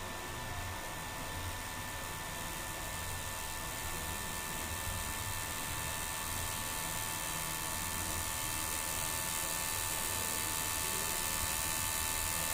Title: #ola charger issue making noise